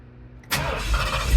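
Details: Big-block V8 swapped into the vehicle in place of a 460, with new mufflers fitted: quiet, then lights off at once and settles into a deep, even, loping rumble; clean, healthy start.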